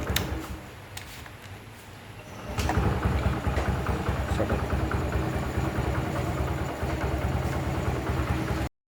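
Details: Honda XL100 after a full engine rebuild, starting: a brief crank, then the engine catches near two and a half seconds and settles into a steady, even idle; normal start and idle.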